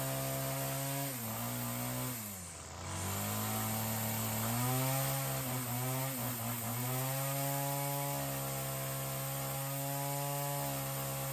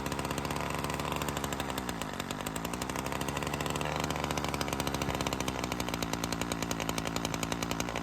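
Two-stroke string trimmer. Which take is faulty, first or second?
second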